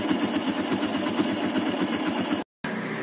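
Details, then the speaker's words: Yamaha Byson 2012 motorcycle, bought used about a month ago: sharp ticking about four per second over single-cylinder idle, keeping engine pace; top-end tick, owner suspects worn piston/rings, also white exhaust smoke; cause unconfirmed. "Nah, itu dengar tuh suara tek tek tek teknya itu, kelatek-kelateknya. Jadi ya itu juga harus diganti sih, pastinya diganti karena ini enggak normal ya rasanya."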